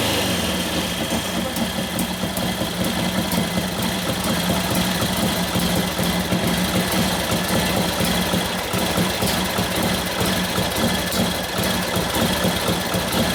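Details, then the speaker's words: 1941 Harley-Davidson WLD 45 flathead V-twin, 56ci stroker build: lumpy, uneven idle that hesitates instead of picking up cleanly; very touchy on fuel mixture, idle rose then died. Main jet running lean, turned out to richen. "It wants to be right where it wants to be on the fuel mixture, and that's it. The allot speed went way up, and then a couple clicks later, and it dies."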